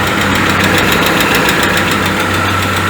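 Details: 2010 Citroën C3 16-valve automatic at warm idle: steady loose knock about three or four times a second over the engine; oil pressure tested low against specification at 2000 and 4000 rpm, pointing to the oil pump.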